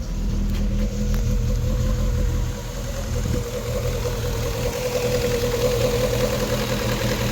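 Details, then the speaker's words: Rover 25 GTI, 1.8 L VVC, warming up with a high, rough idle, over-fueling and white smoke, owner suspects head gasket or IACV; revs sag and climb without settling; hunting idle. "It's hunting around for it, isn't it?"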